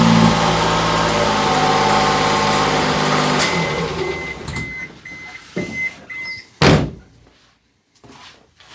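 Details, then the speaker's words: Fuel-injected three-cylinder Kei mini truck, rescued after crank-no-start issues and low compression: even hum for about three seconds with no misfires, then shutdown and thunks; runs properly. "great, fires off like it's supposed to."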